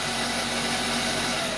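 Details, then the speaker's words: Vevor 8x14 mini lathe after converting the 3/4 hp brushed motor to a 1 hp servo motor, newly installed lead screw drive tested: loud, steady, high-pitched whine and hiss like a banshee from the gear train at constant speed; loud gear whine. "I don't know how loud it used to be it's the same like a banshee"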